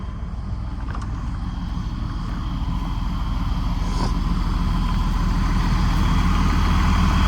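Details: Huge diesel pusher RV at auction yard, idling with a steady, even low rumble and no knocks or misses; normal healthy idle.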